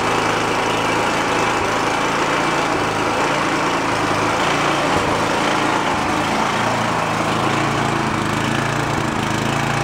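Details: Free roadside snowblower started choked on fresh gas: the small engine's speed rises and falls unevenly at idle; the carburetor is hunting because of a dirty idle circuit, and the fix planned is removing the idle screw and blowing out the jet.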